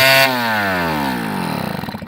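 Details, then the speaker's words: MB5 small two-stroke motorcycle, first start after penetrating oil restored compression in previously seized engine: catches and revs high and buzzy, then winds down unevenly and dies; engine running again after revival. "that is a first start for this bike and the compression is back up there"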